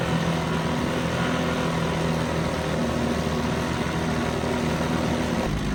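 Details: 1970 Evinrude 4 hp Lightwin outboard, probably not run for a month, running in a test barrel; holds a steady, even burble with no misses, knocks or surging: a good runner.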